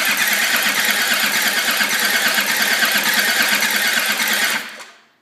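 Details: Land Rover Td5 that refuses to start: fast, even cranking for about four and a half seconds that never catches. It cranks but won't start.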